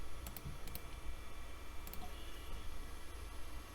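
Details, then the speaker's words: Internal Zip drive in an old Compaq system, copying Doom over: quiet light head-seek clicks over a soft, even spin with no grinding or repeated clunks; it spins right up and works normally. "how about the Zip drive spins right up and it automatically opens"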